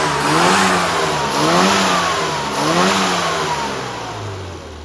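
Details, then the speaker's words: Mini after road tuning with rebuilt fast road carburetor, 1.4 ohm coil, .025 plug gaps, 20 weight dashpot oil, custom needle and yellow spring: crisp clean blips rising and falling smoothly, no misfire or stumble; engine running healthy. "As we can see, it sounds fantastic."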